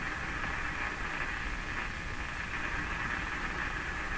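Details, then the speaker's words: Philips PH202 vacuum tube console AM radio, unplayed for a long time, tuned near 860 (French station): steady hiss with a faint whistling tone and no clear programme; reception very poor at the higher bands. "860 French station so reception is very poor at the higher higher bands the higher"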